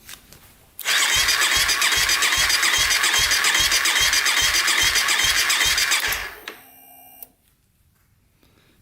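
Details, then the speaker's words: 2014 Honda CRF250L that won't start, during compression test with open throttle, reading 85 with compression release; steady sluggish starter cranking about 3.5 pulses per second, no firing. Weak battery suspected. "well it seems like we're not getting enough juice out of this thing"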